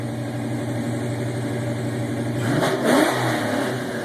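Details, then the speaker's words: 1993 Mustang LX V8, custom cam, ported intake, X heads, recorded inside cabin with windows down in garage: lopey idle swells cleanly to about 5,000-6,000 rpm and drops back, no misfire or rattle; normal free revving. "that's around 5,000 right there that's right around 6,000 RPMs or so"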